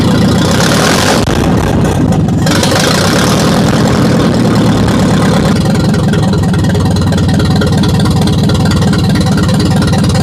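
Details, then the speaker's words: Ferguson TO-35 barn-find tractor with a previously seized engine, running with no exhaust fitted: loud, even exhaust pulses at idle with no misfires or knocks; it idles well though the governor is shot. "It sounds great with no exhaust on it. Nice. Wow. That sounds surprisingly healthy."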